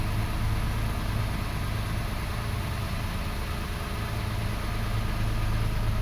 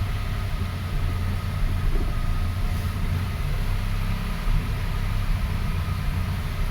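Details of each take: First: 2005 Toyota Passo on its original ECU, idling after its coil ground (no-start cause) was verified fixed; low, even rumble at steady idle, no skips or shakes; coils no longer starved of power; normal idle. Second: 2005 Toyota Passo (earlier no-start case) running at fast idle after start with a replacement ECU fitted: low, uneven, lumpy beat with occasional stumble instead of a smooth hum; misfire traced to a bad ignition coil ground.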